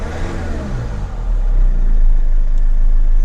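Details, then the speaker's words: Mercedes CLK 220 with a no-start complaint, jump-started from a booster pack, catches and settles into an even, steady low rumble with no misses; normal idle, left running to charge, and the battery likely needs replacing. "So, we'll leave this running for now. Try and let it charge up for a little bit, but the customer will probably need to replace that battery."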